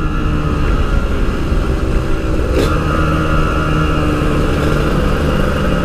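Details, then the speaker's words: Yamaha RX King two-stroke, riding after fixing high-rpm stutter, recorded through a half-face helmet with wind noise: pulls cleanly and evenly through high revs, no stutter or misfire; normal high-rpm running. "Nah itu dia tadi guys permasalahan tersendat-sendat di motor ini yang Alhamdulillah bisa selesai"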